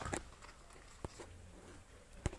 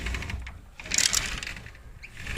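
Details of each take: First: Sliding window after repair (removed by lifting about 1 cm, then reinstalled without pressing the glass) now runs with a quiet, even low rolling sound and only a few isolated bumps; the earlier "taca taca" squeaking noise is gone. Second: Sliding window gives bursts of rapid, sharp clicking clatter when pushed open, from worn, damaged rollers; it lifts about 1 cm to remove for repair.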